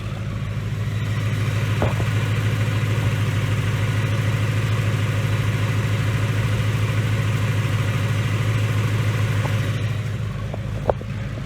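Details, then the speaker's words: 2019 Mustang GT Coyote V8 with Whipple Stage 2 supercharger, checked for typewriter tick: a steady, even idle with a smooth low rumble and supercharger whir, no ticking or tapping; the quietest Coyote heard yet, healthy. "this is the quietest gentry coyote I've heard yet"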